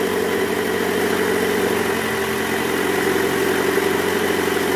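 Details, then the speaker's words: 2008 Toyota Camry 2.4 V, 2AZ-FE engine, held in reverse at about 1200 rpm: low, rough growl from the accessory belt tensioner with a weakened spring; noise gone after tensioner replacement. "Kita masukin dulu posisi R Nah itu dia guys Nah itu ngorok"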